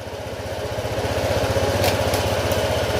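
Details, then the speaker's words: Honda ADV160 scooter at idle after camshaft repair: even, steady putter about four beats a second with no rattle or tapping; the earlier harsh top-end noise is gone, normal idle. "Nawala na yung kakaibang sounds ng makina. Standard sounds na lang to."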